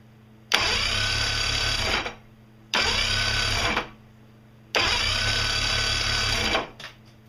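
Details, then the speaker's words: Yamaha PRO V 150 outboard after JB Stik Weld repair of broken starter bolt thread on block (loose starter had jammed solenoid): three smooth 1.5–2 s cranking bursts without grinding; starter engages flywheel properly and is snug. "As you could hear, it worked perfectly. Everything's nice and snug."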